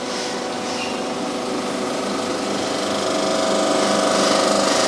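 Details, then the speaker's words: Surface grinding cylinder head: steady hiss of stones cutting, then thin ringing as the wheel passes over steel pre-chambers; normal cut, stones need dressing. "the moment you can hear that cutting you can see the swarf coming off at the back there so that is cutting quite nicely"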